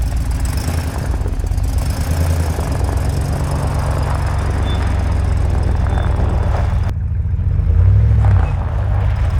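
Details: GMC Yukon XL, 6L80E transmission after replacing shuddering torque converter with billet unit, idling: steady even low rumble, no knocks, shudder or whine; driver-side exhaust gasket at Y-pipe noted not fully sealed; healthy idle.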